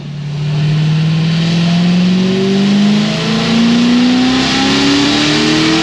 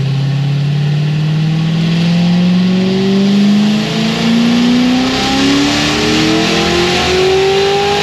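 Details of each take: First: Supercharged LS7 on the dyno at about 11 psi boost, making strong power with a clean data log: V8 pulls hard to high revs with a ragged edge up top, first thought to be the wastegate, found to be valve float from a broken valve spring. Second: Supercharged LS7 final dyno pull: engine climbs smoothly under full load to 6850 rpm redline, no stutter or breakup (previously broke up around 6300–6400 rpm), then lifts off; healthy pull.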